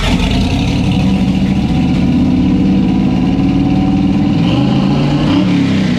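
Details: Loud, steady V8 holding a fast, even idle around 2000 rpm with no dips, on the first start of a custom car build; a vacuum leak was found after spraying around the engine and was to be fixed next.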